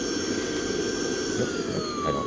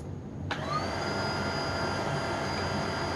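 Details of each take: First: Tineco Pure One vacuum, a few weeks to a month old, brought in with a problem: high motor whine sliding lower as the speed setting changes, airflow sounding choked; tube found clear, clogged filter suspected as the cause. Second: Tineco Pure One vacuum after disassembly and cleaning, inner filter dried and rebuilt, running on high while picking up dog food, rice and oats from carpet: steady whine rising in pitch, strong unrestricted airflow; airflow restored, normal.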